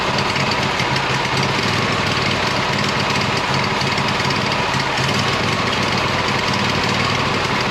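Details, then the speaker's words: 26 HP Kohler V-twin lawn tractor with two cheap aftermarket ignition coils fitted, cold start. It kicks back, runs very rich, loud and ragged with a stumbling beat, sputtering at full throttle. Refitting an old coil improved it, so the cheap coils are suspected faulty. "so I'm really not satisfied yet with how this thing is running it's not smooth enough at high RPM it's it's still sputtering at Full Throttle"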